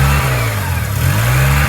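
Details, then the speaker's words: 2003 Honda with P0507 (idle air control higher than expected), many disconnected parts found; idle sits high, dips briefly and climbs back, a steady low drone that won't settle; hunting idle, cause undetermined. "I found a bunch of stuff that was disconnected. There's the idle going up."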